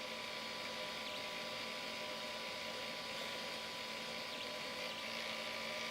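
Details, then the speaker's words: Flying Bear P902 3D printer extruder stepper motor after adjusting driver potentiometer: faint steady smooth hum with no clicking or grinding; too-high current had caused clicking, too low made it weak. "so now it's working and yeah so that's how you you just twist that little screw"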